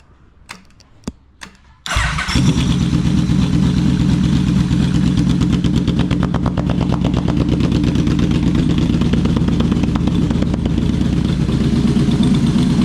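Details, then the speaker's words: Yamaha Vmax V4 repair, now running on all four cylinders after previously running on three: fires after a few cranks and settles into a smooth, even, slightly higher idle with no missing beats. "all right what do you know now that's running on four cylinders the uh the idle was a bit bit higher"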